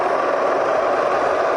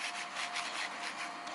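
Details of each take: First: Serviced Bridgeport Vari-Speed milling head slowed from near top speed down through about 1,000 rpm toward slowest: quiet even hum sliding smoothly lower, no knocking, grinding or whine; normal running. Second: Old bearing from a Bridgeport milling machine Vari-Speed head, spun by hand: gritty, sandy rasp as if full of sand, very rough and worn; replaced with a new, smooth bearing.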